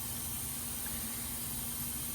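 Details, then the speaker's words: M923A1 5-ton brush truck, engine running: steady hiss of escaping air over low engine rumble from the shutterstat, which sends air to engage the fan clutch at 195° coolant; shutterstat leaking, a known issue, rebuildable with O-ring kit. "These are known to leak. Obviously, you can tell this one is leaking."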